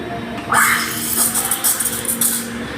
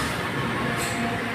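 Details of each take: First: Espresso machine steam wand steaming milk with only the tip in: bright, sputtering steam hiss in short bursts, showing air being drawn in and foam forming; the cue to submerge the pitcher further. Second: Espresso machine steam wand fully submerged in the milk pitcher: steady, even rumble with no sharp hiss, normal proper milk steaming.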